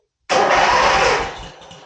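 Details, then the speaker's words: 1980 Sears Craftsman Indy 500 tractor, sat a season, new battery; after replacing the old solenoid, key turned with brake depressed, no clicks, starter spins engine over steadily and smoothly, healthy cranking. "hey with that it turns over that's a good thing"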